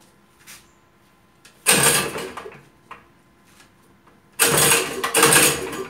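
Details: Toyama TG30FT 57cc two-stroke engine for a drift trike, first cold start of the day with the kill switch on: the first pull gives a short rasp, the second catches into a high buzzy run. Not catching on the first pull is normal.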